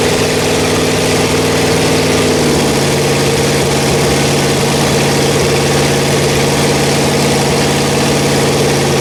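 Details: Rebuilt Pontiac 400 V8 from a 1979 Trans Am on a homemade run stand, second cam break-in after the first flat tappet cam failed: loud steady fast idle, pitch stepping down slightly early, then even with no knock or tick; healthy.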